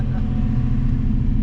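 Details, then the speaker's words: Crashed Nissan 350Z, exhaust recorded: cold start, steady deep exhaust rumble, even and unbroken with no misses or knocks; normal cold start. "wow. Started right up, you guys. Wait. I gotta get the sound, you know, the exhaust over here. Cold start."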